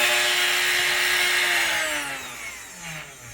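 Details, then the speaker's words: Replacement brush-commutator spindle motor on a 3018 CNC, fitted because the original motor was worn and suspected of causing bit run-out, now with collet and bit installed: high-speed whine with a loud ringing resonance, pitch sliding down as it slows; resonating but faster. "Okay, it does make a difference when you put the collet or whatever they call in there and the bit. Kind of got that loud resonant, but it's way faster."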